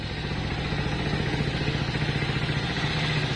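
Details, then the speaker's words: Hero Splendor motorcycle, first cold morning start, no throttle: steady even single-cylinder putter about three beats a second, loud at first then settling; normal cold idle. "Start हो चुकी है हालाकि पहले start होती है जब बहुत तेज आवाज आती है अब धीरे-धीरे डाउन हो गई है"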